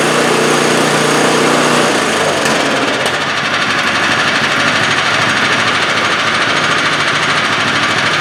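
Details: 2015 MTD snowblower came in for engine surging. Heard after the crankcase vent and fasteners were snugged up: the single-cylinder engine revs, dips briefly, then runs steady at high speed with no hunting or surging; normal running.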